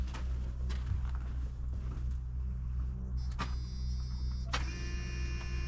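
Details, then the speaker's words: 1988 pickup that sat over a year, gas tank drained but old fuel remains, being started after suspected out-of-gas/bad-ground cranking: low hum, a couple of clicks, then a thin even high whine as the fuel pump primes normally. "I hear the pump. Yeah, I heard it now."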